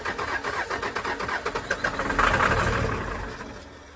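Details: 1996 Dodge Ram 2500 12-valve Cummins diesel, sat seven years, cranked after ether; steady starter rhythm with faint firing puffs that never catch; old fuel lines drained, fuel may not reach injectors, bleeding injectors suggested; crank no start.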